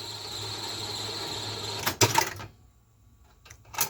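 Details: Zenith Video Director VR-8500PT, a basic Beta VCR (Beta III recording): a smooth two-second mechanical whirr, a couple of firm clunks as the cassette lifts, then light clicks; a normal, healthy tape unload and eject.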